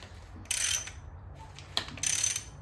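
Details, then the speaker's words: 2002 Lincoln Navigator 5.4 4V DOHC engine, about 260,000 miles, front cover off, crank turned slowly by hand: sharp clicks and pops with quiet gaps as tension swaps between chains, one loose one tight; worn, slack timing chains. "it just keeps like coming off the tension changes see now this one's loose and this one's tight so definitely some unhappy timing components"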